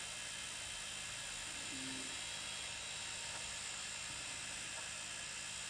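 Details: Wii U console making a faint, steady high-pitched whir with slight buzz; the noise persists with the rear cooling fan unplugged and with the optical drive unplugged, so the source is unknown.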